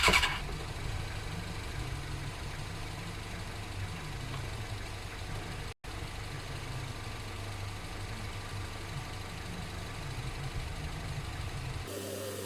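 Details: Suzuki GSXR 600 carbureted bike, clutch lever strapped down and extra fuel added; steady starter churning for over ten seconds with no firing: no spark. The fix was an original ignition unit with the resistor, after which it fired up.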